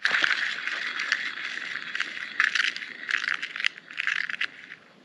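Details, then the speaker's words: Bottom bearing from the transmission front of a 1939 Caterpillar D4 crawler, spun by hand; dry, gritty rattle with uneven scraping; worn-out ball bearing. "When I was rolling it around with my fingers, it was very rough, and I can see pitting on all those bearings in there."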